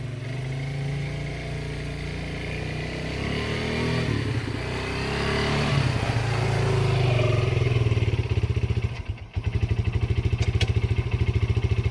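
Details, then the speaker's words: Yamaha Breeze 125 (Grizzly 125) single, first start after two years in storage, choke on, slight fuel leak: revs up unevenly, stumbles and nearly dies, then choppy idle with hiccups; rough running from sitting, cause not confirmed. "all right so we got a moving and grooving got some hiccups tour but you know it's to be expected to be a set for two years"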